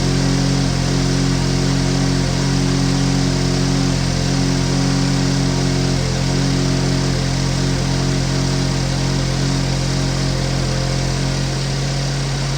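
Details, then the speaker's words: 2015 GMC Terrain with a P0010 code, idling with the mic outside: steady loud idle with a deep raspy rumble and rhythmic puffing from a split in the side of the muffler, while the engine itself sounds quiet; exhaust leak. "so the exhaust leak is on the muffler from when I was checking down there which is and the engine sounds pretty quiet"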